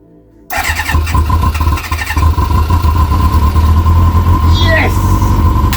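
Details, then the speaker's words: Kawasaki ZX-6R after 10 years sitting, fuel pump reconnected, fuel now in the filter, on choke. After cranking bursts it catches and runs lumpy and uneven without settling. Owner suspects he flooded it; fuel is also coming out of an unconnected line. "There's a bit of choke still. Might have flooded it."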